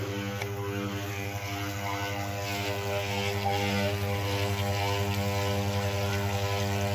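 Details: Malysh vibration well pump, about three years in use, disassembled and cleaned, check valve and internal parts found in good condition: steady, strong mains-frequency hum with an even buzz and no faltering; pump working normally.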